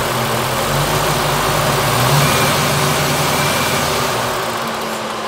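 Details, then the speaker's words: 1974 AMC Hornet V8 with Edelbrock EFI: the idle rises and falls slowly; idle also climbs when the brake is pressed, so a vacuum leak or brake booster is suspected. "See, it's got Edelbrock EFI. We've got a surge."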